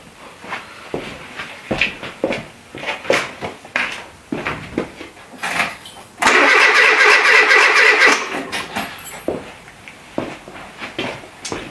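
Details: Renault Trafic with junkyard C1J S 7000 engine, unrun for about 15 years, rebuilt and refitted, with start pilot sprayed: cranks about two strokes a second with one louder burst, never catches; ignition timing seemingly reversed, completely out.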